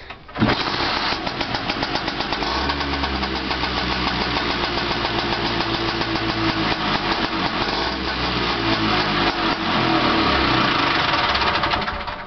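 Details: Lambretta scooter owned over 20 years, ignition now switched on: it catches at once and settles into a quick, even two-stroke beat around four pulses a second; normal start and idle.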